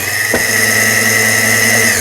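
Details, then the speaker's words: Brother Libero sewing machine, about 25 years old, after motor and power block replacement: bobbin winder pushed right so the needle bar stays still; smooth, steady high motor whine winding down at the end; normal bobbin winding. "요거는 이제 북실을 감을 때 우측으로 밀어주게 되면 바늘대는 움직이지 않고"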